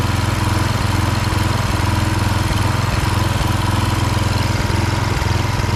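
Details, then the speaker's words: Husqvarna HU 625HWT string trimmer, a non-runner, after an oil change filled to the max mark, run outside: steady, even low thrum with regular firing pulses and no misses or surging, burning oil off the muffler; running smooth and healthy. "This is burning oil off the muffler. Bring her outside, see how it works. Running nice."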